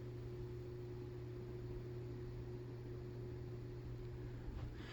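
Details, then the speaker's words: New Harbor Breeze ceiling fan, mic held close: steady even low hum with faint higher tone and soft air rush, no ticks or wobble. Runs normally, though the motor hums more on medium and low. "this is medium the wind noise settles down but it's humming a lot humming noises"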